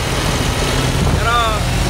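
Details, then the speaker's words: MAN diesel that had not started for almost two years, now running after the faulty solenoid valve was replaced: even, steady idle with no misses or knocks; normal idle. "umandar na umandar. tragis yan may lakids lang so ang naging problema yung ano lang solonoid"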